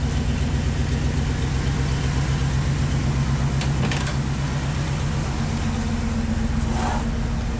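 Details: 1970 International 1200 pickup that sat 30 years, now on a substitute carburetor that itself sat almost 10 years, flap open, no longer spraying fuel, restarting on its own: deep, even idle about four beats a second with a steady low rumble; sounds decent; slight dead spot under load.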